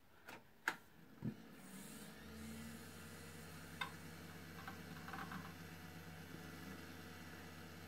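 A few clicks at power-on, then a soft steady fan hum with faint drive seeks; a healthy old PC booting.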